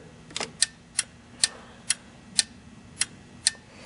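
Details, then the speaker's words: 1963-67 C2 Corvette power headlight during adjustment, bucket wiggled: crisp sharp clicks about twice a second, seven in a row, as the limit switch triggers; switch clicking normally, likely marking a good stop position. "you can hear it triggering. So this is most likely going to be a pretty good spot."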